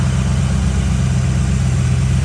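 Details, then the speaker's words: 1940 Ford build, first AC run after trinary switch wired, idling: compressor kicks in, engine holds smooth even idle with no squeal, rattle or hunting; normal idle with AC compressor engaged. "Hear the compressor kick in."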